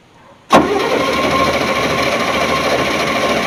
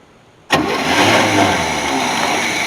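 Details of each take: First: 1981 Chevy C30 dually after sitting 10 years, during spark check: steady starter grind for about three seconds that never catches, then winds down; no spark because the ignition was not switched on. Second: 1981 Chevy C30 dually after sitting 10 years, first start once the ignition is on: catches at once and settles into a steady, even idle with no misses or knocks.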